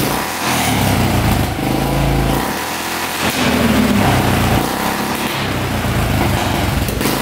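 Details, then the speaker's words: 1995 Polaris Magnum 425 4x4 ATV single-cylinder, revived after years sitting: revs and sags unevenly, very boggy; suspected worn cam lobes, tight intake valves or fuel starvation; pressing on airbox improves running. "So it's really, really boggy. Not sure what's going on. It definitely could be the cam lobes are worn or the intake valves are tight. It almost sounds like it's not getting enough fuel."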